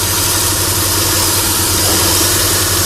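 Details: Chrysler Sebring idling after repairing a 3-tooth valve timing jump; slight tick said to occur sometimes while warming up, otherwise steady; compression seems fine, oil leak being traced. Smooth, even hum, no knocking; healthy.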